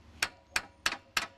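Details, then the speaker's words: Chevy Aveo jacked up, front wheel off, lower A-frame levered: sharp metallic clunks about three per second from worn-out lower control arm bushings, causing clunking on take-off and bumps; fix is replacing the lower control arm. "tap the brakes and move them, you can hear it clunking and what's clunking is the entire A frame under here that's worn out, the bushings are shot"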